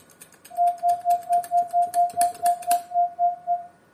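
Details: Linrad 05.01 transmit side, received on Linrad 05.00, audio-generator test signal keyed as dots after fixing an IIR filter (double precision) artifact; crisp mid-pitch tone in even dots about two a second, clean starts and stops, no buzz or chirp; clean output.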